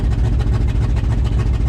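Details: 1994 GMC 3500 with 454 V8, work truck fed old bad gas and smoking: heavy idle with a rapid, rhythmic puffing tick over the rumble from an exhaust leak at the manifold-to-downpipe donut flange, fixed by replacing the donuts.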